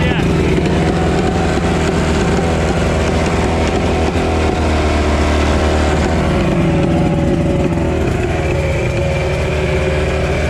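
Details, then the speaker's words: 1982 Glasstream 17'6" Angler bass boat with Chrysler 100hp two-stroke outboard, sat about 6 years; steady, even drone at constant revs with no misses or knocking; no water flow seen at first, then hot water comes out; runs normally. "Not seeing any water flow out of it, but it sounds good."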